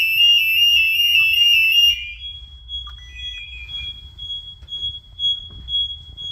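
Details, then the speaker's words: Home alarm tested at night by opening the back door, fitted with a hidden magnet sensor. The linked smoke alarms double as the siren. Loud high warble, then short high beeps about three times a second; alarm siren sounding. "Brandalarmen virker også som sirene. Det har jeg aldrig nogensinde testet."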